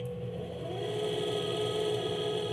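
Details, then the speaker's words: Electric minibike motor under test code with controller top speed set to five (half speed): thin whine climbs a little then decelerates without much push; weak output from reduced top-speed setting. "that's pretty weak and it decelerates but now we'll change it up to 10."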